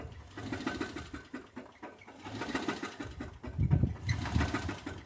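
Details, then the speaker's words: 2006 Dodge Magnum R/T first start in years from a scrapyard, engine overheating quickly: idle surges and rocks with irregular low thumps and busy clatter; clogged catalytic converters backing up into the engine suspected, cause unconfirmed. "Hey, now it's doing weird stuff again. The other thing I'm thinking might be wrong too is it might be the converters are clogged. And it's backing everything up into the engine."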